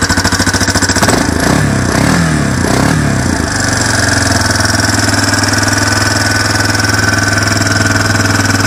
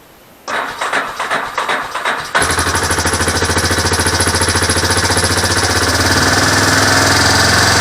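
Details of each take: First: Four-wheeler single-cylinder engine on original carburetor, started cold on choke in neutral: stumbles unevenly then settles into steady but lumpy idle; cold-natured, runs fine once warm, may stall as choked too briefly. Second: Four-wheeler engine on original carburetor, cold-natured, started on choke in neutral: cranks two seconds, catches and settles into steady even idle; running fine, may stall as choked too briefly.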